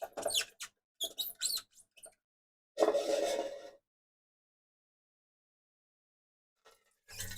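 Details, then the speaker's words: Film camera winding mechanism: short bursts of high, chirpy squeaks each time the winder is turned; dry friction squeal, and the owner suspects a missing anti-friction washer, though this is not confirmed. "Alors à savoir qu'on l'entend grincer mais plus j'y pense plus je me dis mais en fait il me manque la rondelle antifrixtion qui est censée avoir."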